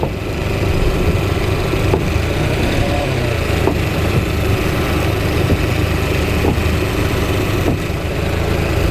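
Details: Four-stroke outboard at idle during carburettor synchronisation, steady, even beat with no hunting or misfire; cylinders sound well balanced.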